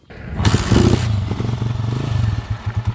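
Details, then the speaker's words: Honda TMX155 just started after a timing gear replacement (the old one was noisy with a cat-like whine), block rebore and new valve seal. It catches quickly and settles into an even thumping putter, roughly eight beats a second, with no whining; a healthy idle. "Yan. Yan na yung andar niya ngayon mga kabro."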